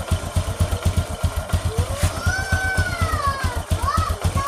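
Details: Honda Supra X 125 motorcycle idling after the rotary centrifugal oil filter was cleaned and refitted: a steady low thumping at about four beats per second, even and unbroken under music overlay. A normal, smooth idle.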